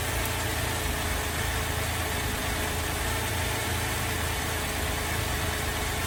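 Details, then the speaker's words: VZ Adventra Alloytec V6 running very rough at idle, plastic covers off, coils being disconnected one at a time; uneven shaky drone, misfire later traced to failed number 5 coil pack. "It's running very rough and we'll disconnect a coil at a time and see which one we think is bad."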